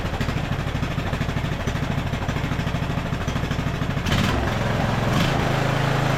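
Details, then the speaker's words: Craftsman LT1000 riding mower single, first start after carburetor rebuild with mixture screw fully out: uneven thump about two a second, running lean until screw backed out about half a turn to add fuel. "I just had to add a little more fuel. I think we went out like, what, a half turn or so? These weren't adjusted right."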